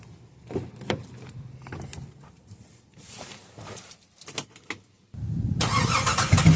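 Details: 2005-2010 WK1 Jeep Grand Cherokee, abused rig with engine problems, just back from Midas with a brand new exhaust; starts and settles into a smooth, solid note with no rasp, ticking or leak hiss; normal exhaust.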